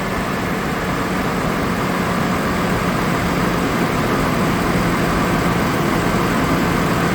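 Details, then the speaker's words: 2002 GMC Envoy 4.2 just after fan clutch replacement: steady, even idle roar with smooth fan whoosh and no clicking; new clutch slows the fan much more than the old one, engine feels smoother. "definitely a lot slower than the previous one was actually feels like it's running better too that could be because that's actually sealed up now"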